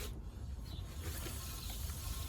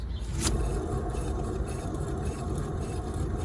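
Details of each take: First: 2011 Skoda Superb rear wheel spun by hand turns with a soft, even low whir and no grinding or rumble; normal bearing, while the faulty bearing was on the left side. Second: 2011 Skoda Superb rear wheel spun by hand: low, steady gritty rumble from a bad left-side wheel bearing; noise heard driving straight above about 30 mph.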